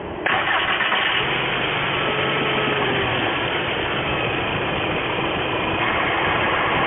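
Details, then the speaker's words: 2000 VW mk4 idling evenly with a steady hiss and the AC clutch engaged and the compressor turning. The AC pressure sensor had falsely reported overpressure, and refrigerant may be low. "[Music] and you can see there the ac clutch is spinning"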